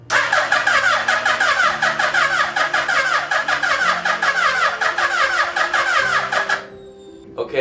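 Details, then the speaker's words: Built used Hayabusa engine swapped into a Banshee; seller claimed it ran fine with just a bog. First start attempt after wiring fixes gives fast, ragged cranking with an uneven chuffing beat and no catch; owner suspects low compression or a bad starter. "that sounds bad. I don't know if that's... It sounds like it's either down on compression or the starter's bad."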